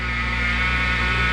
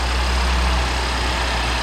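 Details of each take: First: BMW X5 engine running: a steady, high-pitched whine holding one pitch; the driver's-side idler pulley bearing is being replaced along with the serpentine belt. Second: BMW X5 after idler pulley and serpentine belt replacement, first start: smooth, steady low idle with no whine or squeal; the belt drive sounds quiet and healthy, and the earlier constant whining is gone.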